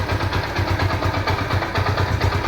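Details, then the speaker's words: Yamaha SZ-R motorcycle after repair of an engine noise, self-started at idle: steady, even idle beat with a regular low thump and no knocks, ticks or rattles; normal idle. "Sound आपको सुनने में आ रहा होगा proper तरह से हो गया है"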